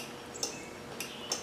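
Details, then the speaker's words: Cub Cadet Ultima ZT2 zero-turn mower, 60-in deck, Kawasaki engine, 181 hours, spark plugs removed: key turned gives three light clicks within a second and no cranking; click comes from dash area, not the under-seat solenoid; power apparently not reaching starter or solenoid. "But the click I hear is not coming from the solenoid, which is down below the seat. It's coming from in here."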